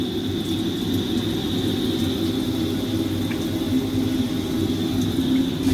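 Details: Tabodd 32kW portable outdoor gas water heater (shower), just relit with spark ignition after it banged with flames from its side: steady even roar of the lit burner with a soft airy hiss, no pops or bangs; burning normally.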